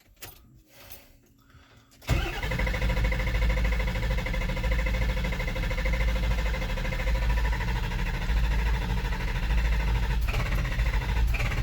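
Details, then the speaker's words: Ford 7.3 Powerstroke diesel, hot no-start after cam sensor swap, fuel filter full: starter cranks briskly at 250–300 rpm with smoke but never fires; batteries and starter good, owner suspects low high-pressure oil. "It's smoking, but it's not firing. And definitely cranking fast enough. I'm showing 250, 300 RPM cranking, so the starter's plenty good and the batteries are good."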